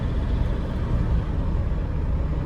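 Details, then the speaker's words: 2007 Toyota Innova, 284,000 km, strong body vibration with deep heavy rumble and shaking drone when accelerating in gear and pressing the clutch; suspected star joint failure. "നല്ല vibration ഉണ്ട്. എന്തായാലും നമുക്ക് നോക്കാം, lift ചെയ്ത് നോക്കുമ്പോൾ നമുക്ക് അറിയാൻ പറ്റും എന്താ കംപ്ലൈൻറ്റ് എന്നുള്ളത്. മെയിനായിട്ട് സ്റ്റാർ ജോയിൻറ്റ് പോയിട്ടുണ്ടാവും, അതുകൊണ്ടാണ് ഈ കംപ്ലൈൻറ്റ് വരുന്നത്."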